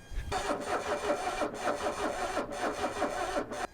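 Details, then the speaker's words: 1984 Mercedes 300SD five-cylinder turbo diesel, first start attempt in years on jump pack and cables, diesel reaching all five injectors; starter drags slowly, about six compression pulses a second, never fires; cranking too slow to start. "all right so car's just not turning over fast enough we've managed to get diesel to all five injectors"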